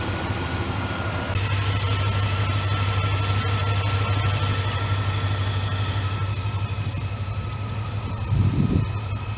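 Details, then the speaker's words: 1999 Dodge Ram 1500 after replacing the failed power steering pump in front of the house: a steady, smooth idle with a faint high belt chirp on top; owner suspects oil on the belt from handling. "I suppose I got a little oil or something on that belt from handling it. She'll chirp a"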